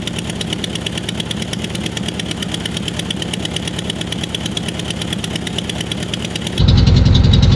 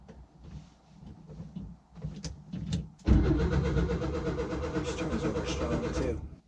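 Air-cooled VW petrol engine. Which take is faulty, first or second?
second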